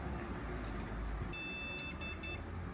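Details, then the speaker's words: Customer-built PC with no display: a high, thin one-second beep over fan hum. Defective motherboard suspected; the same parts booted at once on a replacement MSI X870E board. "À, nó giống nhau Nếu bạn nghe thấy tiếng bíp, nó sẽ không hoạt động."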